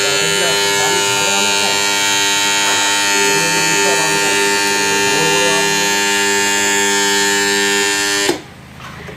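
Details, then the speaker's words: Submersible pump motor control panel: loud steady electrical buzz that stops at once when switched off, caused by a loose, vibrating contactor in the panel box; contactor chatter. "पहले यह आवाज क्यों कर रहा है पता है यह परिमाण जो कंपनी है इसका जो की झूला कांट्रेक्टर लगा हुआ है इस वजह से जो की आवाज क्रिएट कर रहा है"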